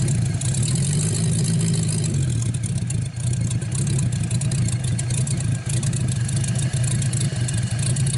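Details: 1949 Buick straight-eight, first start in years, restarted after cooling down and refuelling: deep, smooth, even rumble picking up cleanly with a few revs and settling back; runs really good.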